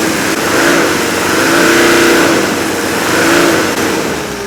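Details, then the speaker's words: Healthy OM617 turbo diesel with very high compression (over 400 psi per cylinder) revved off idle: sharp clattering combustion knock rising and falling with the engine, normal ignition knock, not metal-on-metal internal knocking. "That's the sound of healthy ignition knock, okay? That's not metal on metal knocking inside the engine."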